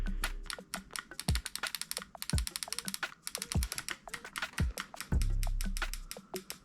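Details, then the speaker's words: Backdraft Phoenix HPA engine programmed into binary fire mode: sharp solenoid clicks firing one shot on trigger pull and one on release, cycling normally. "And there's your binary. So like, as you can see, programming is pretty simple, and that's all you had to do to unlock your other fire modes."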